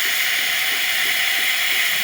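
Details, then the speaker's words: Espresso machine after shop service (steamer previously reported not working), steam test with water: strong even high hiss without sputter or pulsing as steam exits the frother tip; normal steam flow after repair. "There goes steam coming out through the tip, and a little bit of water coming from your milk carafe."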